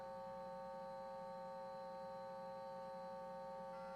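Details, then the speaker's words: Windows 98 SE Pentium II PC with an internal modem dialing Dial-Up for Less over a POTS landline that was already noisy this evening: quiet handshake tones over a hissy line, a noisy, poor connection with a rhythm to it. "Let's try Dial-Up for Less on POTS with the internal modem again. Oh, it's so noisy."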